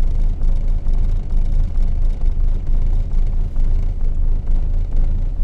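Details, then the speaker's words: 1974 Valiant at its first cold start since August 2020, after sitting frozen in below-zero weather, hard to start: low, loping idle dipping about twice a second, vacuum needle steady but low; engine struggling. "calls that in the good range but i can still hear like struggling"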